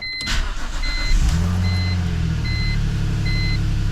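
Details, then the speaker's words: BMW E46 first start after welding leaky eBay header-to-midpipe joint: short crank, steady even low idle, still barks, no ticking or puffing leak; normal idle. "Well, that's a huge improvement if nothing else. It still barks, but I don't hear any leaks."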